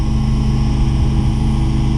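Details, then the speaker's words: Oilfield water trailer vacuum pump driven by truck PTO, gauge moving to negative side: steady low droning run with an even pulse, no knocks or squeals, takes a minute or two to pull down; normal vacuum pump operation. "it takes about a minute or two depending on if the trailer is empty or full as to how long it's going to take for the negative pressure to go"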